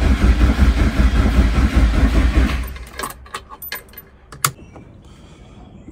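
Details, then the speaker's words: Mk1 VW Jetta nitrous car on a jumper harness: the starter churns for a couple of seconds with no firing; a blown fuse is found and the owner believes it is getting no fuel. "we have these fuses in here this one's good this one I pulled out if you can see that there she's blown so we have to replace that D fuse I ain't getting no fuel"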